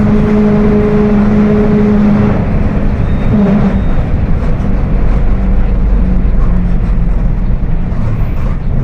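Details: Mercedes-Benz OF 1721 BlueTec 5 bus with Apache Vip IV body, cruising: a steady low whine holds under the road and engine drone, from a worn, roaring rear axle differential.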